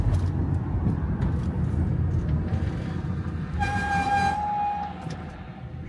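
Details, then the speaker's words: Van motorhome while driving and slowing: a high, clear squeal lasting about 1.5 seconds over road rumble, then fading; brakes have started squealing. "carro começou a fazer esse barulho no freio."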